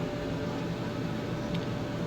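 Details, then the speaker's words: Maytag MED9700SQ0 HE dryer test run after repairing a screeching noise, front cover reassembled: a soft, even hum with a light airy rush and no screech or scrape, running normally. "we got the front cover back put together all the electrical stuff plugged it in to have to give a test-drive how about that everything appears good"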